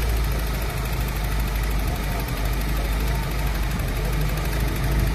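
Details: 1995 Opel Vectra petrol engine after a new water pump fitted: steady, even low idle rumble with no knocking.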